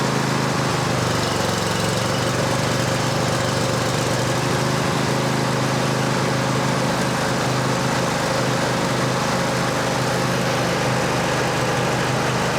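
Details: Cub Cadet LT1550 riding mower after no-start tune-up with new carburetor: single-cylinder engine holding an even, steady idle without stumbles or surging, though described as running lean; seafoam suggested.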